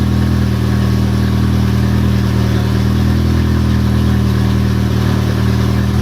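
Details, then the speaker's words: Car engine just restarted after the oil pan was pulled and the rod caps checked over a knock that seemed to worsen (no bad rods found), downpipe disconnected, still cold: a loud, deep open-exhaust rumble with only a faint light slap. Light cold piston slap, nothing concerning. "Well, sounds good so far. I don't hear anything that sounds concerning. A little bit of piston slap"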